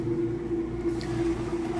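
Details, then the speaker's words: Kenmore top-load washer on its inspection demo, switched to spin: a steady low hum with an even mid-pitched whir and no knocks or grinding as the drain pump pushes the water out. Normal drain pump. "You can hear it draining the water out. See how the drain there works."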